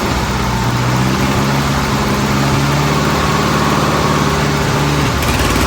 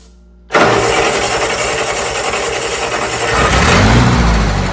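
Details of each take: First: Old Bobcat 610 skid steer, Wisconsin petrol engine, after freeing a stuck exhaust valve and sealing with grey silicone: fired up and idled a while, running pretty good; picks up to a steady even beat, eases back, revs cleanly. Normal running. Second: Old Bobcat 610 skid steer, Wisconsin petrol engine with old carburetor just opened: catches at once, then runs unevenly with a stumbling, wavering beat before revs climb; owner thinks it picked up water in the carburetor and plans fresh gas.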